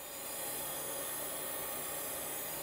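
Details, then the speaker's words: AST Adventure 200 barn-find PC running Windows 95, powered up with a different power supply: steady high-pitched whir with airy hiss, louder than a drive should be; noisy hard drive, cause unclear. "That hard drive is quite loud. I can't tell if it just wants me to go."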